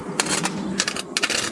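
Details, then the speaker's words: Matsushita TM-202G arcade monitor in a Time Soldiers cabinet, powered up after rebuild and rewiring: sharp, irregular crackling snaps over a quiet hum, with a burning smell. High-voltage arcing up in one corner. "Not good. Definitely something arcing there. Stinks too."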